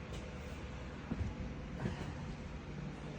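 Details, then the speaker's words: Shock absorber on a dyno after its gas charge was let out; the selector no longer has a detent. A dyno drone with rough, hollow whooshing surges on each stroke, the sound of a shock with no gas pressure. "this doesn't have a detent like it doesn't even stop in a position anymore okay so if you're on the trail and your selector does this you have no gas pressure"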